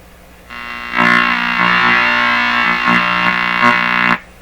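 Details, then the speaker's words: Telefunken Jubilate Delux 4561W radio on shortwave, after replacing the suspect capacitors: a steady pitched howl with rich overtones suddenly cuts in over the tuning noise, holds, then stops. Sounds like oscillation; the source is not traced. "is that ah the way it starts suddenly it almost sounds like it's some kind of oscillation in here"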